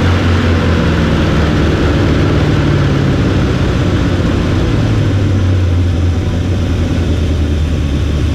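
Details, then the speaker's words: 1975 Chevy 4x4 plow truck: loud raw low rumble with rough lumpy pulse, no muffling; no exhaust system, exhaust dumping under the holed cab; smokes, owner suspects worn rings. "no exhaust on it. It's just nothing, So I'll probably have to do something about that because there's so many holes in the cab with that exhaust dumping out all around here and under the cab."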